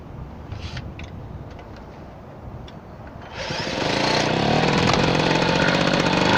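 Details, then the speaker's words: Unidentified belt-drive Garelli moped, possibly Brianza, with M48/M56 Laura-type two-stroke engine, started using a drill: catches and settles into a loud, raspy two-stroke buzz about four beats a second with a harsh spitting edge; visible exhaust leaks from all directions. "so you can still see the exhaust leaks coming out from all directions"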